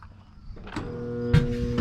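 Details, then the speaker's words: Roper washer given away as non-working: motor energized with a low steady electrical hum while the tub won't turn even by hand; motor not seized, drive clutch underneath suspected. "there's that humming again i tried turning this tub and it won't turn so i'm thinking it might be that clutch underneath"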